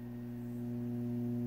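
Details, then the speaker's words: Nady MM-242 mixer with Korg ES-1 on channel 1 and EMX on channel 2, gain cranked up: steady low buzzing hum with a higher overtone growing louder; mains hum, probably a ground loop from the shared ES-1 power supply. "I can hear a serious hum, and that's probably some kind of ground loop issue from running the Korg ES-1 power supply to two separate."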